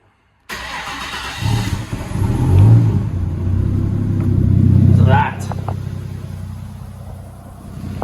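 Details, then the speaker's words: Nissan RB30 turbo in a VL, cold start after sitting overnight: it cranks, fires and revs with a loud raw deep exhaust rumble. The muffler is removed, giving an exhaust leak. "Yes, it's got an exhaust leak, but don't worry about that. I got the muffler at home to put it back on, so."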